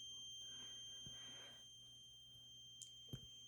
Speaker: there is a high-pitched squealing noise coming from what we believe is the toilet and if i flush the toilet the noise goes away